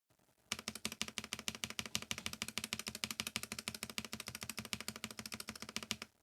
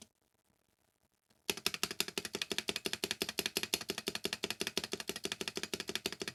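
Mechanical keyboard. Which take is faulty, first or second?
first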